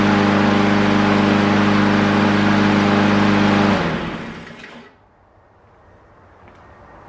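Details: Brand-new Troy-Bilt TB160 lawn mower, first start after adding oil, with some smoke expected: steady, even single-cylinder drone at constant speed for several seconds, then a clean wind-down; the new engine runs healthy.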